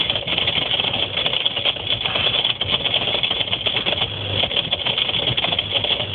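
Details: Whirlpool ADG 7540 dishwasher, recorded underneath while washing: fast buzzy rattle shaking the right-angled rubber hose and heater; fixed by replacing the pump.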